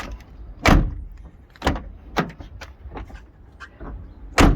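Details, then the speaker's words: Peugeot 308 door after fixing the noisy hinge behind the removed door panel: door swung and shut several times with clean thuds, no creak or squeak. "Voilà. Maintenant ça fait plus de bruit, c'est nickel."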